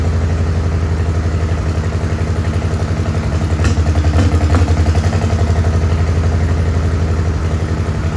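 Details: Farmall H tractor at low idle with an uneven, loping beat and a few clattery catches mid-run, like missing on a cylinder. Carb not flooded and timing found not out; cause not confirmed.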